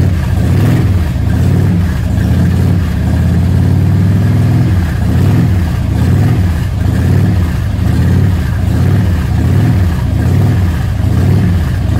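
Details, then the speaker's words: 2005 Harley-Davidson Road King, carbureted, first start in a year with a battery fitted, on choke; deep lumpy V-twin beat at fast choke idle, steady with no knocks. "all right so this is old carbureted bike i'm gonna reach down here and pull the choke out"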